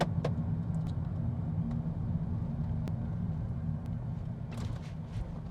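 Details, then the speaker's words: 2010 Toyota Prius, 161,000 km, test drive over bumps: steady low road rumble, no knocks or clunks; suspension sounds sound and tight. "Saame siin kuulatada vedrustust. Et ühtegi üleliigset kolksu ei tohiks küll olla kuskil."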